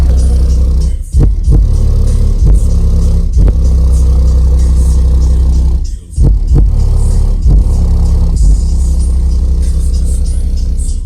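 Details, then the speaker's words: American Bass XD 12-inch dual 2-ohm subwoofer wired in series to 4 ohms in a box: deep bass thumps play clean and steady with no air-leak chuffing heard with the DX, sealing properly and sounding louder. "alrighty with the XD hey sounds a lot better I don't hear that that air sound I was hearing with the other one"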